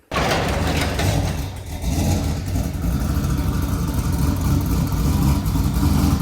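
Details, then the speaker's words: Newly acquired built race-car motor, first run: catches and revs with uneven chuggy low pulse, sounds like a John Deere tractor pitter-patter and smokes like one; rough running engine. "i told you it sounds like a tractor even smokes like tractor"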